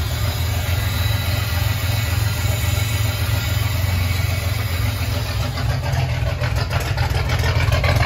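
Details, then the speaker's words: Ford 300 inline-six, first start on new homemade turbo header with cutouts open: deep loud steady idle rumble, even beat, no misses; normal idle with open exhaust. "one more make sure the cutouts open I want to hear what it sounds like"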